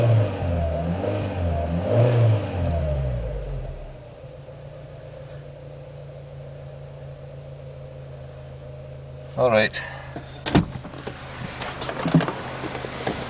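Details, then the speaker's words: 2000 Renault Scenic 16-valve petrol, about 85,000 miles, after all four ignition coil packs were replaced because it was misfiring on three cylinders: clean revs rising and falling smoothly, then a steady, even idle with no misfire. Normal running. "well half an hour later it's running letting you know perfect"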